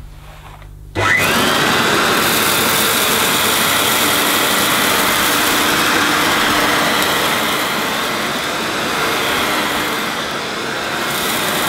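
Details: Hoover S2095 Quick Broom II mains-powered bagless stick vacuum, brand new, picking up rolled oats. Steady high-pitched whirr with rushing airflow and brief pickup rattles, even speed throughout. Picked all the oats up: normal running under load.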